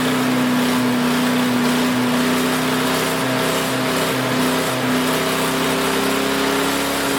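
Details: Craftsman 5 hp wood chipper single-cylinder, revived after sitting 3 years jammed: steady, even hum without stumbling or hunting; initial smoke, likely WD-40 or PB Blaster, cleared and exhaust ran clean. Running smooth.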